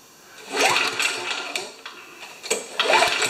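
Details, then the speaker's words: Old Tecumseh mower engine after priming, slightly overfilled oil: thin, rattly buzz surging and sagging unevenly, running weak and rough; a leak is seen at the intake manifold by the choke, cause not confirmed. "I want to see if I can prime it can you hear that doesn't sound too strong"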